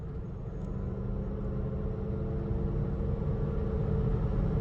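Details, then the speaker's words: Repossessed Cadillac SRX bought at auction, driven on the road with a check engine light on: steady, even engine drone at light cruise with faint road noise. It shifts well, holds temperature, and has no knocks or misses. The engine sounds great. "Yeah, the engine sounds great."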